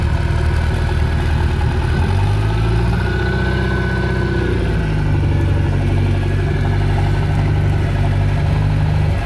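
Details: Boat with Mercury Alpha One sterndrive, 4-cylinder, parked at least a year, run on water supply after impeller replacement: steady low idle with one brief rev rise settling smoothly, no knocks or misses; normal idle.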